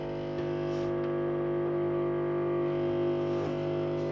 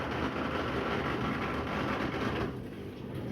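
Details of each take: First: Washing machine on drain program P with an empty drum: steady, loud hum with a piercing whine, even pitch throughout; owner suspects noise is because it's empty; loud drain pump noise. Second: Washing machine on drain program P, with water added to the drum after coming out of storage. Steady whooshing pump with even water noise settling lower; it was very noisy running empty and works normally once it has water.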